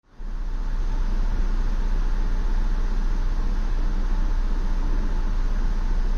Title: 2016 Ford Explorer Rough Idle